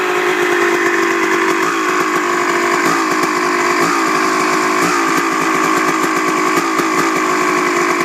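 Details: Honda CR250 two-stroke: idles perfectly when first started, but after five to ten minutes of riding, warm, holds a high buzz that stumbles and catches about once a second; cause unknown.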